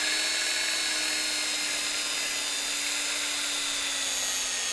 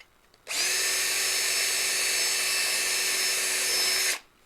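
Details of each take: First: Cordless drill hogging out holes with a 5/16 bit: high motor whine sags slowly in pitch over several seconds, then stops and spins back up; drill bogging under load, battery apparently depleted, fresh battery fetched. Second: Cordless drill with a fresh battery, 5/16 bit enlarging holes: clean steady high whine at constant pitch, starting and stopping crisply, no bogging or stutter; running properly.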